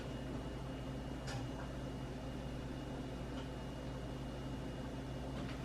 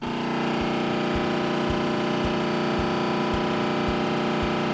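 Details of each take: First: Samsung range after door lock switch repair, running a self-clean test cycle: faint steady hum with a thin high tone and a couple of soft clicks, counting down and heating normally. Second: Oven door lock motor grinding on a Samsung range during self-clean start: harsh buzzing drone with a dull thump about every two-thirds of a second as the door fails to lock; a small cheap lock switch was found faulty and needed replacing.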